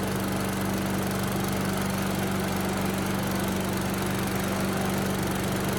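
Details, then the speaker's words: Yard Machines chipper with Tecumseh engine, pulled from the trash, fresh oil though some water remains, recoil missing: loud, steady drone with an even firing beat, no misses or surging, started first pull, runs at high and low speed; normal running. "that thing's loud but it's running well now so no problem started first pull runs at high speed and low speed"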